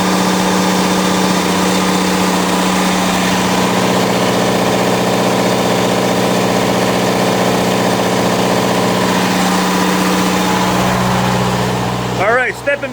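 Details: Onan DJC diesel generator, warmed up, on a load bank at a little over 7 kW: even unwavering engine hum, no hunting or surging; running smoothly and healthy under load.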